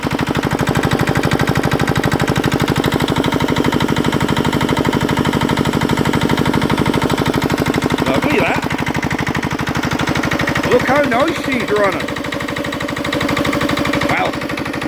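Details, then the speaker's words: 1960s Petter AA1 single-cylinder diesel driving a belt compressor, first run after a long lay-up; steady even low thumping about three beats a second, no misses or knocks, normal running. "what can we say? That's a bit noisy there. I hope you can hear me through all of that."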